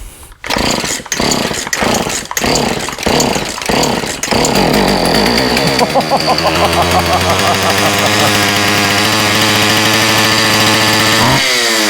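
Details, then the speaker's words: Husqvarna 36 chainsaw after clearing a badly blocked carburetor and fitting new fuel line and filter, 50:1 mix: several pull-cord tugs, good compression, then catches and holds a steady buzz on full choke with a quick rev; runs properly. "Sounds good. Sound like good compression. Oh, the throttle linkage is having a hard time."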